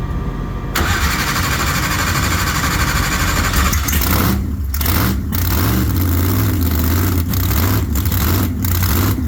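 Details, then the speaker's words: Race car V8 after a bad axle bearing was replaced because gear oil had leaked: fires up after a second and settles into a loud, deep, steady idle, with gear temperature staying good; normal start and warm-up idle. "so idle smooth and gear temp stays good while it's running so yeah we'll go with"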